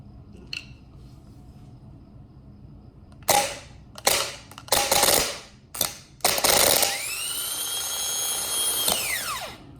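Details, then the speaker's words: Starter motor from a 2003 Chevy Silverado, brand new, bench-tested by jumping positive to the solenoid terminal with a screwdriver: a few sharp clicks and sparks, then a clean steady whine winding down smoothly; starter and solenoid good. "as you can see this starter and starter motor is good and the way that I am doing that is as you can see I have my positive right there and then I'm just jumping it over"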